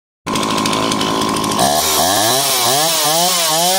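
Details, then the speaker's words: Dolmar chainsaw, two-stroke, ZAMA C1Q carb rebuilt for flooding, adjusted to 2800 rpm idle with high and low speeds set: steady high buzz, revs climb and drop cleanly on blips; running well. "there you have it adjusted at 2 800 rpm for idle and high and low speeds have been adjusted for the recommendations and it's running well"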